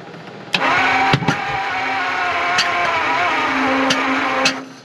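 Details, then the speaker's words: 1950 Ford Shoebox flathead V8, off the road 50 years, first start attempt after compression test and carb work: cranks, catches briefly and sputters with pops, no steady firing; misfire because the distributor is 180° out. "Oh boy. That sounds like distributors out, doesn't it?"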